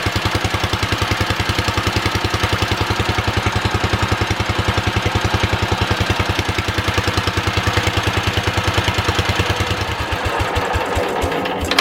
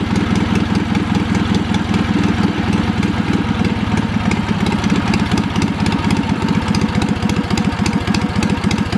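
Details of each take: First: Old Wisconsin THD twin-cylinder engine, first startup on a 200 A charger after sitting: lumpy, uneven chuffing firing on only one cylinder, then shuts off; stuck exhaust valve, probably on the front cylinder, kept it dead. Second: Wisconsin THD twin-cylinder engine, after a stuck exhaust valve was freed with oil and a pick. Quick, steady exhaust thumping at idle, slightly choppy but firing on both cylinders and running pretty good.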